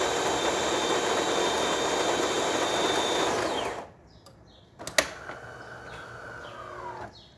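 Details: DeLonghi Magnifica espresso machine after full service, test shot: steady, even pump buzz with high whine for about three and a half seconds, then cuts off cleanly; normal pump operation.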